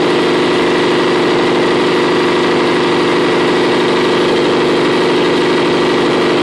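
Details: CP-D03.2 compressor: loud, steady drone with a rough, uneven hum on top. The abnormal sound comes frequently at no fixed interval or duration, and vibration does not change when it occurs. Cause unclear.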